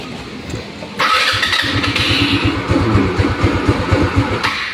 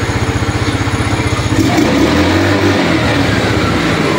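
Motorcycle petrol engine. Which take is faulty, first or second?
first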